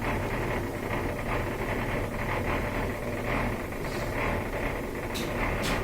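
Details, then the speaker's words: LG washing machine that won't drain, may show OE error: steady low drain pump motor hum with faint buzzy flutter, no water sloshing; pump spins but impeller slips on motor shaft, pump to be checked for debris and replaced if nothing is caught. "This is the all-common LG washing machine that won't drain, also may be giving you the OE error. This is the sound that a bad pump makes."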